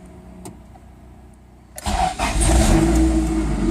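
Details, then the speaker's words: Honda CRX with non-VTEC B20 engine after fitting Huntertuned decapped E85 injectors (about 1000cc), Hondata set to Injector Dynamics 1000cc: quick crank catches and settles into firm, even idle with no misfire; clean, healthy start. "beautiful so much better for sigani tweaking that's things fired right up"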